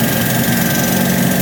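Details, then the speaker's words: Ford F250 Power Stroke diesel with a 6-inch lift, heard inside the cab: a loud, steady diesel drone with a coarse chuffing edge, from a bad exhaust leak at the connection by the turbo. "The exhaust leak. Yeah. Oh, yeah. Does have a bad exhaust leak. Connect right by the uh turbo."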